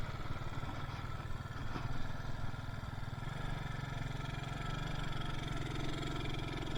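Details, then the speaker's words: Yamaha Mio Soul carburettor scooter that lacks power and stalls: low, dull running that barely rises when the throttle is worked, no crisp pickup; bogging because too much fuel enters the combustion chamber (rich mixture). "Ya, motornya enggak mau jalan ya. Kayak mbet-bet gitu. Terlalu banyak bensin yang masuk ke ruang bakar ya."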